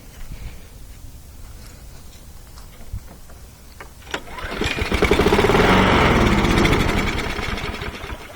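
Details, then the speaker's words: Trash-picked 2011 John Deere JS26 push mower (Briggs-built) would not run, even with the air filter off. Ether sprayed into the intake makes it catch with a sputtering bark, surge briefly, then die, so it has spark. Old gas is to be replaced and the carburetor is suspected. "spray some ether into the intake and we'll see if it at least has spark shouldn't need that much"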